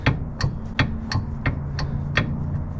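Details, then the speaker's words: 1986 Chevy G20 van front end, wheel rocked by hand: sharp metallic clunks about three per second from excessive play in the outer tie rod end, which the owner calls pretty bad. Worn outer tie rod end. "and then the tie rod here this is pretty bad nothing is loosey-goosey look at that thing look how much play there is"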